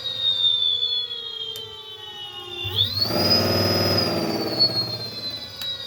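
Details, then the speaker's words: Electric motor on a temporary test controller (Votol EM-150 pending), speed selector at speed 1 (slow): clean steady high whine climbing once then holding over even rumble; running smoothly. "Must have needed to jar it. That's slower. That's speed 1."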